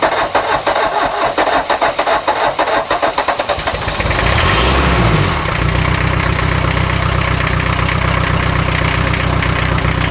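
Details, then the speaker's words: 1979 Mercedes-Benz 240D parts car, first start in 13 years, cold, glow plugs wired directly from the battery, no exhaust system: slow uneven cranking for about four seconds, then catches into a steady rough diesel idle; normal diesel cold start. "first start in 13 years this car has not been running since the Clinton Administration booyah"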